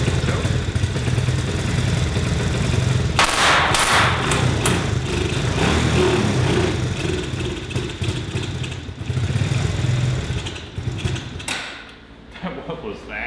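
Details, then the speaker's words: 125cc mini ATV after a new 70-150cc carburetor install and exhaust modification, revving: loud single-cylinder note with sharp irregular pops and thumps, sounds like backfiring through the carburetor; runs better, valve adjustment still planned. "sounds like it's backfiring through the carburetor feels better"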